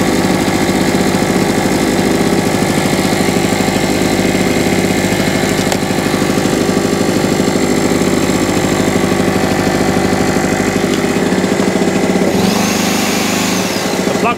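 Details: Salvaged small two-stroke generator, after new NGK spark plug and carburetor clean: settles into a steady, even putter, no misfire or surging; normal running.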